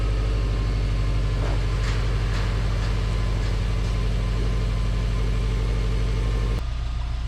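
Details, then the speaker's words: Subaru Legacy GT Spec B after a JDM engine swap, boxer engine idling while warming up before the thermostat opens; steady even low idle with smooth quick pulse, no knocks, ticks or misses; normal idle. "all right guys here we are with the jdm motor installed running warming up just waiting for the thermostat to open then i can let it cool down check the coolant"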